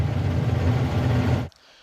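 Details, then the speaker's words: Fendt 936 tractor Deutz diesel, warmed up, at about 870 rpm idle: heavy, uneven throb with strong vibration felt through the cab in time with the engine; one cylinder firing unevenly, suspected faulty injector, unconfirmed. "так что имеем по результату по результату у нас на низких оборотах есть большая вибрация то есть на 8 оборотов на 870 очень сильна вибрация в такт с двигателя то есть какой-то цилиндр явно Работает неправильно не совсем корректно"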